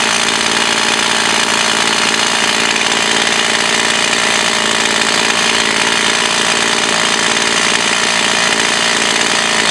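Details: Echo CS 4500 chainsaw, bought used with unknown history and standing unused for many years; carb rebuilt, high-speed screw adjusted slightly. Loud, steady high-revving buzz holds under load through the cut without bogging or surging; now operating well.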